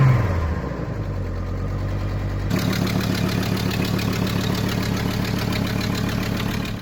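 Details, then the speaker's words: High-mileage, off-roaded Hummer H3 at idle. A sharp, rapid puffing tick at about three to four per second comes from an exhaust manifold leak. A cheap replacement manifold has always leaked; otherwise the engine is said to be fairly quiet. "I cannot even imagine the comments that are going to be under this video because I shot this with the engine making that much noise with that exhaust leak. But it actually is a fairly quiet engine."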